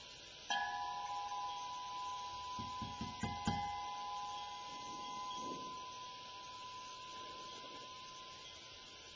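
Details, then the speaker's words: KG4HSY 1-der 40 QRP transceiver kit through its speaker: each tap sets off a sustained bell-like ring near one kilohertz that slowly dies away, microphonics. "so if you're in a high vibration area you certainly wouldn't want to be using this rig but you know anywhere sitting out in the field Etc have it on a table this shouldn't be a problem it almost sounds like a uh a"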